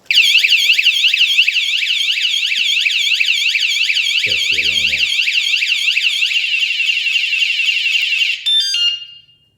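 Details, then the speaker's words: wsdcam 113dB wireless vibration bike alarm, armed after chirp, then bumped; loud fast-warbling high electronic siren rising and falling about eight seconds, cutting off cleanly. Alarm sounding normally. "someone comes along and bumps into it now that's the first thing you'll hear when bump into it"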